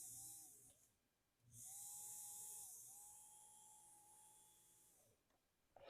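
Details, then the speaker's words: Vintage Varney F2 HO scale locomotive motor, propped up and run from a blue box controller after a tap of oil: a light, steady high hum with no scraping or chatter, spinning freely and smoothly. Normal motor running. "And that seems really good."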